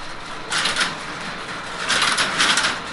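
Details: Working crossbar telephone exchange, a scalable frame of crossbar elements, at Seattle's Connections Museum: two bursts of sharp metallic clattering, each half a second to a second long, over quiet room hiss. The switches operate normally as a call connects.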